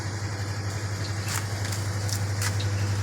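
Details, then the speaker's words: Samsung WA10F5S3 washing machine repaired for not powering on (12 V now stable): steady low hum with soft even rhythm in spin-dry, no knocking or scraping; working normally. "ก็เครื่องทำงานปกติแล้วครับตอนนี้กำลังปั่นแห้ง"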